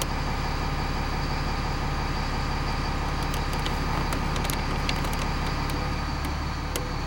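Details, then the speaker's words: 2001 American Coach American Tradition, Spartan chassis, 8.3L Cummins ISC diesel with Allison 3000 MH transmission, parked with brakes on during fluid and filter change: idle rumble sags slightly as shifted into drive/reverse, showing it engages gear normally. "can hear the RPMs changing, so that means it is going into gear."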